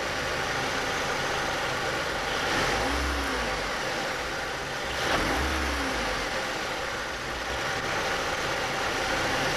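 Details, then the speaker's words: 2000 Chevy Cavalier 2.2 L, over 143,000 miles, revved twice from idle to about 2000 rpm: faint light ticking that appears with revs and fades at idle, seemingly from low on one side of the engine; cause unknown. "whenever you get the car first up to 2,000 it starts making a ticking noise so what I'll do is I'll go inside the car and rev it up"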